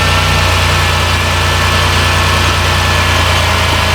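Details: 2010 Dodge Grand Caravan 3.3 that bogged down and stalled; after a replacement computer was fitted, engine at closed loop with O2 switching. Smooth, steady idle with an even low hum, no misses, surges or stumbles: normal idle.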